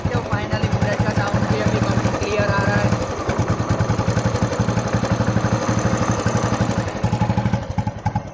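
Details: Old Royal Enfield Bullet 500cc after repair of the head block, rings and piston, and chain set, kick-started and idling with a slow even single-cylinder thump about four per second, with no ticking or clatter.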